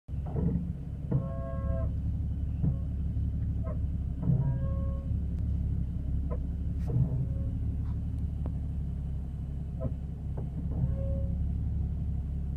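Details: Porsche 981 Cayman S: short, low moaning brake groans that come and go over a deep rumble at low speed; the owner is unsure whether this is normal.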